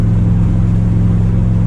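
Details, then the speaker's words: 1977 Chevrolet Nova Concours driving home after the muffler blew out: loud, deep, steady unmuffled exhaust drone with throbbing low rumble; blown muffler exhaust leak. "so got a little bit louder car now I don't really know about the throttle response"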